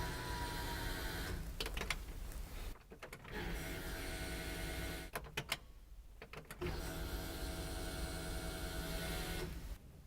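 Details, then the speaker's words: 1967 Camaro with a new Holley Sniper EFI install, key cycled to run for flushing, return line draining into a jug: a buzzing whir runs about 5 seconds, stops, then repeats with each key cycle. Normal fuel pump priming. "When you turn the key back to the run position, you should hear the fuel pump turn on for approximately 5 seconds."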